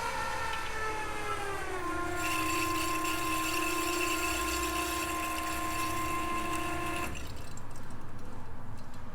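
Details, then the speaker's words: Turbocharged race car with AMP EFI, big fuel pump priming after the forgotten fuel line was connected: an even, steady pump whine that stops cleanly. Fuel pressure is good, no leaks, and plenty of fuel is returning. "sounds good we've got fuel pressure and no leaks"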